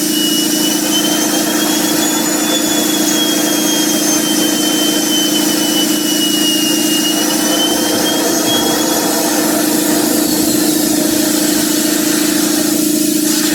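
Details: Home-built JM50 turbine, second start attempt: steady loud rushing with a faint wandering whistle that never climbs; won't reach enough rpm and fails to light.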